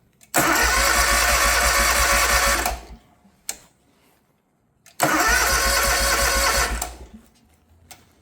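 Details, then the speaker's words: New Hustler Surfer Pro mower with no-crank complaint: with parking brake disengaged nothing happens, with it engaged it cranks. Two short tries, each catching quickly and running evenly a few seconds before shutoff; cranks and fires normally. "now if this parking brake is not engaged let's say it's just like that and you go to try to crank it see nothing the moment you engage this parking brake it starts or it cranks"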